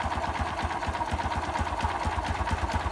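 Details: Honda XRM 125 at idle: quick, slightly uneven clattery tick about twice a second over the exhaust beat; the owner asks whether it is knocking, and the source is unclear.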